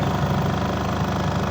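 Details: Astro spin dryer with clothes inside, previously noisy underneath per owner, tested after repair with back cover off: steady even low hum at speed, no knocking or rattling; normal spin.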